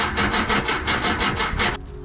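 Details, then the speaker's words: 1978 VW Type II bus with a rebuilt engine and 3-speed automatic, sat 20+ years, fuel smell present: steady cranking pulses about four to five a second that never catch; crank no start with ignition timing 180 degrees off. "That was the best it sounded. Well, it smells like fuel. So, I feel like the fuel was getting to the cylinders."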